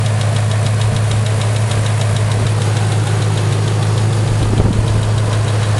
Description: Collapsed lifter? bent pushrod? You be the judge.